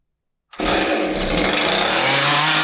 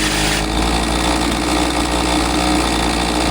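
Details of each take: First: Husqvarna 543XP chainsaw whose owner misadjusted the carburetor with online adjustment tools and now bogs: fires up to a ragged, unsteady scream that won't settle or run properly; carburetor mixture misadjusted. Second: Husqvarna 543XP chainsaw, after correcting a bogging carb adjustment the owner had made. It holds a steady high buzz and blips up and back down twice cleanly, with no stumbling or surging. It is running properly.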